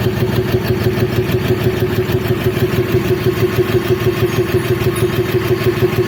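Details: BS6 diesel with very poor fuel economy and no fault code. It idles with an even, heavy beat of about three pulses per second plus a steady hum. This is an abnormal engine noise with no clear cause.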